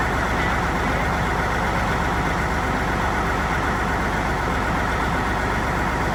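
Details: Non-running Peterbilt 379 project truck diesel, first start: deep idle with uneven, choppy beat and no steady rhythm; owner suspects a little air in the system, unconfirmed.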